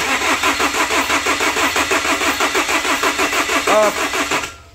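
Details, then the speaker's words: Chevrolet Captiva diesel (FL C140), restarted after full cleaning with fuel tank drained and injectors refitted: steady starter churn about three beats per second, no firing; air in the fuel lines, bled by loosening an injector line bolt. "Nah agar udara yang ada di jalur bahan bakarnya keluar di saat kita melepas baut selang injektornya n"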